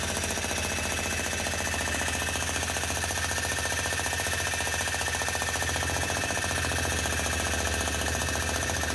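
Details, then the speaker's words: Old USA-made Bosch GSH 27 demolition breaker after the dried-up grease was washed out and replaced with fresh grease: fast, even, forceful blows about three per second with no skips, hammering properly and growing stronger as the grease disperses. "that's her ready for work that'll keep getting stronger and stronger now the more that's actually running"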